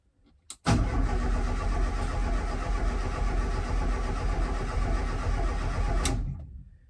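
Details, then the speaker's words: Escort RS Turbo not run since 1996, first start attempt after oil change with HT lead disconnected: about five seconds of even cranking at roughly four beats a second, turning over freely without firing, to build oil pressure. "well she turns over put the oil right"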